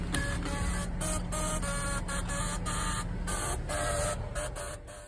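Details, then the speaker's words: Customer complaint: power window makes rapid mechanical clicks in short bursts with pauses, like tapping out Morse code; window regulator or motor clicking. "this customer said their passenger window sounds like a machine gun"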